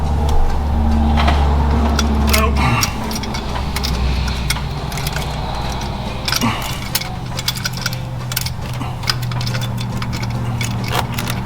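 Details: Former parts truck being readied for a 1000-mile trip, spark in doubt, vacuum leak suspected. A loud steady cranking drone gives way to uneven chuffs and sputters as the engine tries to catch but never runs.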